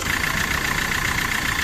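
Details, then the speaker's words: Suzuki Swift Dzire idling with a steady, pulsing high-pitched chirp; the water pump bearing has slight play and squeaks, worse when pulling away in first and second gear. "ये देखिए अपनी water body है, यहाँ पे ये water body में प्ले है और इसमें से आवाज़ आती है, चीं चीं की आवाज़ आती है।"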